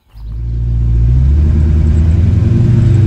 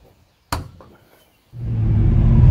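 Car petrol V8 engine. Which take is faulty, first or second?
first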